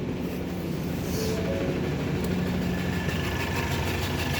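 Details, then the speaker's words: Ford Taurus with check engine light on: uneven, lumpy idle with irregular low thumps, stumbles and strong vibration; the engine misfires because of a defective spark plug. "Missfiring ang engine. Tingnan natin. Paandarin muna natin. Makikita natin kung talagang missfire."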